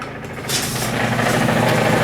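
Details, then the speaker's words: Reassembled Powerfist small engine: buzzes fast and steady, like a plate tamper, with no drop to a slow idle; the idle is set very high and can be adjusted by a screw on the carburetor. "sounds like a plate tamper running with that thing under it though I idle it up really high you can adjust that with a screw under here"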